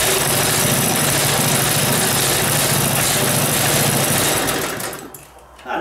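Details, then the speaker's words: Briggs small single-cylinder go-kart engine, cold start in unheated garage, no throttle, started second pull: fast steady buzzing idle before dropping off; idling high, owner suspects previous users raised idle because it wouldn't keep running. "um it's idling a little high i wonder if the lions club guys whoever was running it crank the idle up a bit because it wouldn't keep running or something"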